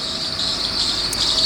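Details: 1990 Audi V8 3.6 engine that has whistled for 3–4 months: a steady high-pitched squeal of constant pitch over a quiet engine, from a slipping belt.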